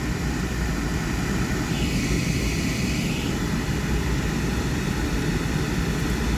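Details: Thermo Pride Spirit series 80% oil furnace after flame lights, before blower starts: steady, deep, even roar with no pulsing or sputter; normal burner firing.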